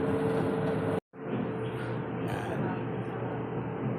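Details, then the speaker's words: Whirlpool gas dryer model 4GWTW3000 after deep cleaning, test run checking drum rotation and noise: smooth steady drum rumble with faint even hum, no scraping, squeal or knocking; burner igniting, running normally. "Gas dryer, Whirlpool. Nagte-testing tayo ngayon. Check natin yung ikot niya, saka yung ingay."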